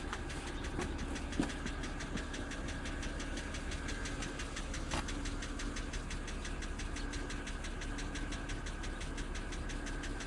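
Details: 2007 BMW X3 cold start: sharp even knocks about six per second over a steady cold idle, loud enough to hear inside the closed cabin; oil level sensor reads full; cause not pinned down.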